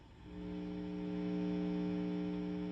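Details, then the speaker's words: 1986 Marshall Lead 100 Mosfet guitar amp after service: a steady low mains hum with a buzzy edge swells in as the reverb pot is wound up; the pot sits next to a transformer, and moving it and changing cables didn't help. "Reverb is pretty noisy. There's no buzz at all after the service until you wind up the reverb pot."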